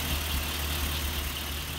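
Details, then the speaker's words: 1938 Chrysler engine after extensive tuning: low idle rumble with an uneven pulse and occasional soft stumble; compression test found one cylinder low on compression, the root cause of the miss. "It is what it is. I'm not mad. I got one low cylinder."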